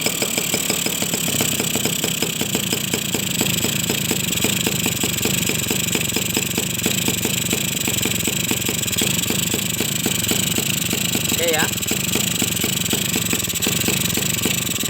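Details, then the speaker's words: Suzuki RC two-stroke motorcycle after new piston fitted (previously overheated, weak, zero compression), idle being set: crisp regular popping at a steady idle, no stalling or hunting; compression now tight, power expected to return. "Oke teman-teman ya, langsamnya juga dapat."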